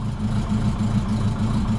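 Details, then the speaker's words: Not started in three weeks: idle with an uneven, throbbing low pulse, running thumpy; alternator belt possibly slipping, cause not yet known. "so it starts it hasn't I haven't started this in like three weeks now it's a bit thumpy"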